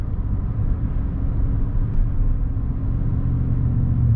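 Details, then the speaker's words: GM V8 truck with updated Range AFM/DFM disabler and IMS bullet muffler, coasting off throttle on road test: deep even rumble, no uneven pulse; stays on all eight cylinders. "VA just hasn't dropped a cylinder so that's that's promising"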